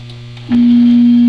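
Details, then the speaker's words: Shop air compressor from around the 1930s, plugged in and started: the motor kicks on with a quick thump and settles into a steady, even hum with no rattling or knocking, so it runs healthy. "just a cool fact something cool in the in the shop is this air compressor from uh like the 1930s and still works"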